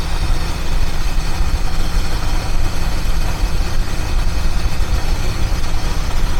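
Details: 1976 Mercury Marquis, revived after a no-spark no-start fault; idle screw raised after the idle was too low and it quit: low, steady rumble holding an even idle without dying; idling properly now.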